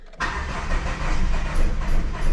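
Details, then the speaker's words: 1995 Plymouth Neon, low mileage, long stored, cold, brakes seized: starter cranks, one cylinder catches with lumpy pops that never build into a run; owner suspects gummed-up injectors. "It's firing off one cylinder."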